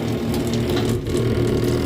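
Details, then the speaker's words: Zurn faucet, cold water side: steady low buzzing vibration continuing even with the handle fully off; cartridge has vertical play, worn cartridge to be replaced; pressure reducing valve thought fine. "even though it's all the way off, it still does that noise. So we will have to order a new one of these cartridges."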